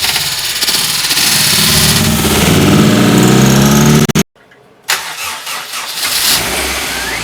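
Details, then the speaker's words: Rebuilt Honda CR-V first start after troubleshooting suspected clogged fuel rail: cranks, catches, revs spike sharply from inhaling a rag left on the intake, then shut down abruptly. "I shut it down right away as soon as the RPM spiked from it inhaling a rag that I left on the intake."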